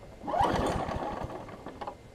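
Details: Craftsman 6 hp big-wheel front-drive self-propelled mower after a new pull rope and priming: a brief uneven burst of firing that stumbles and dies away; it seems to run really rich, suspected carburetor, spark plug or flywheel key.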